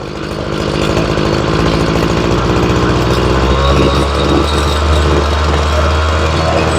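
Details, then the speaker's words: Ryobi two-stroke weed eater after carb and fuel line replacement, low-side carburetor screw being tuned: it climbs cleanly from idle to a steady high buzz with no stumble or bogging, revving up really nice. Normal revving. "now the low side is always the one closer to the uh closer to the motor and the eyesight's the one farther away but she revs up really nice"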